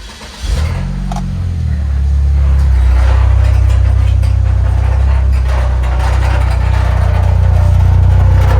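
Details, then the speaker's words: 2003 Saab 9-3 at startup the morning after being driven hard: steady fast rattle about four a second over the idle; owner first feared the timing chain guides, but the cause was loose corroded parts. "when i went to start it up i heard a really really bad noise and i realized quickly what it was"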